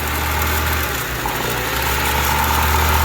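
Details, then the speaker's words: Honda Civic at idle: the idle is high, its low hum dipping and swelling as it hunts and surges; a vacuum leak is suspected, including around the injectors, before spraying accelerant to check for it. "So you can hear that the idle is high, and now it's starting to hunt and surge."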